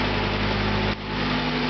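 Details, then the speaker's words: Volvo 850 T5R with new engine, 15 minutes after first startup, tapped briefly at first but no longer: steady, even idle held slightly high, no tapping or stumble; idling very nicely. "It's idling very nicely, as you can hear. Kind of high right now, but whoa, scared me."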